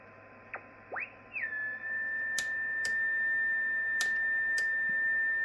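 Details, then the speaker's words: Yaesu FT-101 receiver with marker off: steady pure tone settles in strong over the hiss as the dial stops, barely affected by the preselector; an internal birdie spur. "Right there, pretty strong. Not really affected by the pre-select."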